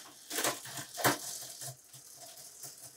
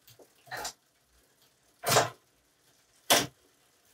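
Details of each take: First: Bicycle rear derailleur shifting into middle gears during a bike check: irregular crunchy clicks and rattles as the chain fails to settle cleanly on the cog; rear derailleur needs adjustment. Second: Bicycle in a stand, no load, cranked by hand while shifting through the gears: crisp clean click at each shift about once a second, no grinding or chatter, smooth derailleur shifting.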